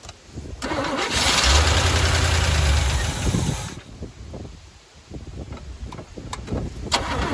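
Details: 1985 Chevy C10 half-ton, 305 V8 with stock Quadrajet, new plugs, wires and distributor: long steady cranking that catches briefly then stumbles and sputters unevenly; hard starting, owner suspects fuel or distributor install, not confirmed.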